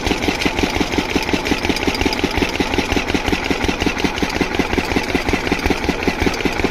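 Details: Single-cylinder diesel water-pump engine, after fixing the no-start caused by fuel not reaching the pump, thumps evenly at about three beats a second with no misses or knocks; running perfectly, no problem.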